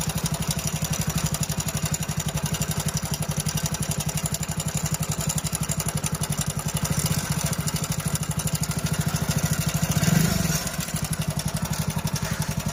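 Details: Hero Splendor Plus BS6 single-cylinder engine at idle: a light, rapid ticking rattle at every engine speed, blamed on timing chain noise; the recommended fix is replacing the timing chain set.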